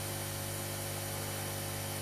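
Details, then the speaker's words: Aoyue 968 hot air unit after repair with a new heater and a new 1.2 ohm fuse resistor, following sparks and smoke: steady, even blower rush with a low hum and no rattles or surging; running fine, temperature maybe a tad high. "okay now here we go everything's back together again um I just tested it and it seems to run fine"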